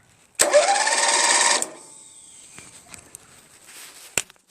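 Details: 1996 Craftsman LT1000 42 hydro lawn tractor, newly installed replacement starter motor test-cranked before spark plug and gas tank refitted: about a second of brisk, even whirring, no grinding or slipping; starter working properly.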